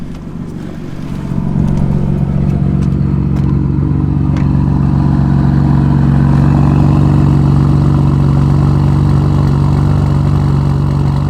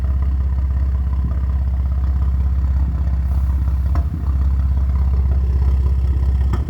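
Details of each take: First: BMW M4 after new coil packs fitted to chase a misfire (spark plugs recently replaced, stock tune suspected if it persists): after a few clicks the engine catches and idles steadily with no misfire or stumble; fix not yet confirmed. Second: BMW M4 at idle: deep, steady idle broken by an occasional brief stumble, a very slight, random hit-or-miss misfire, recorded on a phone; owner is replacing the coil packs after already doing the spark plugs.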